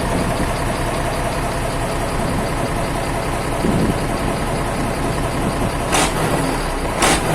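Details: Isuzu 12PB1 diesel idling after a full overhaul, old burnt oil still burning off, smoke much reduced; deep even rumble with a couple of short hissy bursts, nothing irregular, normal running.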